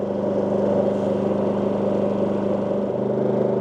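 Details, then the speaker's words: WEN 4800 W dual-fuel generator (DF480iX), with about 800 W load at around 3,000 rpm: smooth, even low hum, tone slightly deeper but still low, rpm change minimal, no surging; normal running under light load. "RPM change is pretty much minimal to none. Now the tone on the generator is a little bit deeper, but still staying low."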